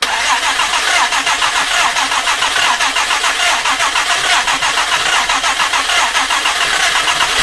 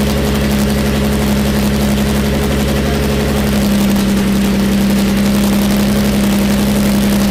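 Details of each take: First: Jaguar E-Type 2+2 under restoration, first start attempt: quick, even starter cranking for several seconds, never firing; engine flooded after choke was applied, fuel pooling. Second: Jaguar E-Type 2+2 six-cylinder under restoration, running with no exhaust fitted: loud, raw open-pipe idle, steady and even with no stumbles; all six cylinders firing cleanly.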